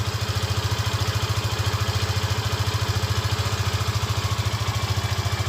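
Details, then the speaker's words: Yamaha FZ15 single-cylinder idling: steady, even beat at about 207 pulses a minute with a small noise at the front, no cam chain rattle or ticking on top; normal engine noise. "Mas é o barulho normal do motor, não tem barulho de corrente, entendeu?"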